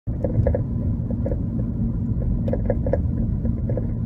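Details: Car running coilovers, heard while driving: dull road rumble broken by short hollow clunks about every second, some in quick pairs. Suspension clunk, source unknown.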